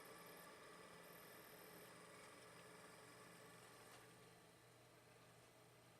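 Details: Sony DVP-NS45P DVD player, retested in its original setup with weight on its top, with the problem suspected to be plastic part misalignment: a faint whir as the disc spins up, then a smooth, steady hum; it is spinning normally.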